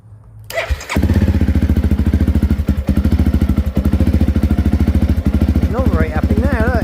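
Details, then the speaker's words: Honda CRF enduro bike, uneven lumpy running that stumbles and barely keeps going at low speed; bike not charging, low voltage from corroded fuse and relay contacts starving the ignition, relay heard clicking as it primes. "You could be driving along and just down a low speed and that is a symptom of the bike not charging."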